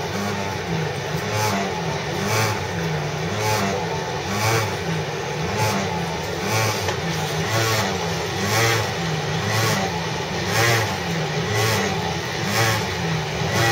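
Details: Sydney CityRail Mortdale S-Set (S18) on a City Circle service via Granville, recorded from inside the 3rd carriage, March 2012: steady pulsing drone, about one surge per second, like a stalling motorbike engine under the carriage; source unknown.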